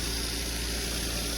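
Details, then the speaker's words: Citroën 2CV, started without a booster on a charger reading 38%, though the owner expected it not to start: a smooth, even idle with a soft low hum and no ticking or knocking. "I will be shocked if this thing fired up no way no way that's unbelievable"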